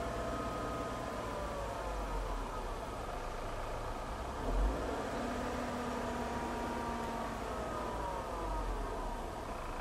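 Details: Dodge Caravan: loud whine from the passenger side over road noise, climbing and falling in pitch when accelerating or decelerating with the A/C on; it stops when the A/C is off, and there is no noise at idle.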